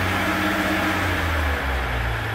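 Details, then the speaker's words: 2015 Ram 2500 3.0L EcoDiesel with check engine light and multiple intake swirl control codes: steady run with a low drone and faint rushing induction noise under light load; likely needs a replacement intake manifold and carbon cleaning, not confirmed. "It's got the Ecodiesel, and it's here because it has a noise in the engine under a light load."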